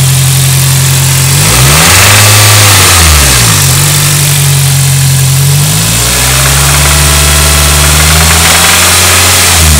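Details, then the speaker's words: 2001 Toyota Celica GT: engine revs up and down repeatedly with a faint fast tapping under the rev noise, barely audible at idle but clear around 2500 rpm; top end noise, cause unknown to owner. "can't really hear it idle but when you get up to about 2500 you could hear it right there"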